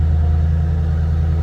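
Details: 2007 Ford Mustang Shelby GT coupe, V8, 5,228 original miles: deep, steady idle burble with an even beat through loud mufflers, no ticks, knocks or misses; healthy idle.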